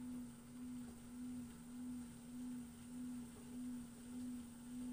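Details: Brand new LG FWY606WWLN1 washer-dryer during drying: a steady tonal whine swelling and fading about twice a second with a faint thin hiss above; owner suspects the high-pitched drying fan, unsure if normal or a fault.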